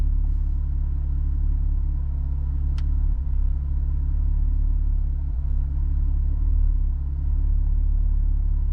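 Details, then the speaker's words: 3.6-litre Camaro idling with a misfire and lack of power; injector 4 code suspected, history counters high on all cylinders. After clearing codes it runs a little smoother, but cylinder 4 shows a big misfire, a steady idle with dips and stumbles. "There's okay, cylinder 4 is misfiring now. You can feel it. And it's a big misfire too."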